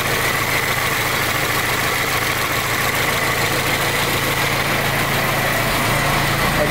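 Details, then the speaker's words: 1920 Ford Model T Centerdoor four-cylinder, original, converted to 12 volt: starts right up, then an even steady idle with a soft regular chuff and no knocks or misses; runs normally. "a really cool sound I love the sound of it starts right up no problem"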